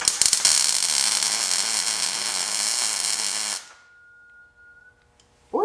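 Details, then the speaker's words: Thin, steady high-pitched whine lingering about a second after MIG tack-welding stops, heard near the gas bottle on a Miller Multimatic 200 during a Jeep JK ram mock-up; the noise only recently started. "that you hear that high-pitched noise just started doing that either day"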